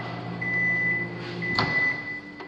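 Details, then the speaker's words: New-construction townhome microwave during inspection, 30-second heat test, indicator light not blinking as expected: even low hum from magnetron and fan with a thin steady tone, no rattles; heating normally. "it's heating but my little light didn't blink on and off what does that mean mr microwave"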